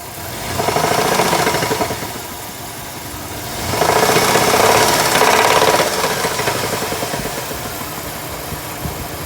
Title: ‘03 Liberty 3.7 Rod Knock